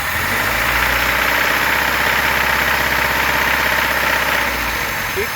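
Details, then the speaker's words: VAZ Zhiguli classic carburettor engine: steady running with fast regular knocking at certain revs under carburettor hiss, fine on quick blips; owner suspects bearings or piston pins, source not confirmed; engine knock. "успокоился на подкидывает колотит нахуй а так нормально скидывает что это [ __ ] вкладыши нахуй или пальцы нахуй Так колотят"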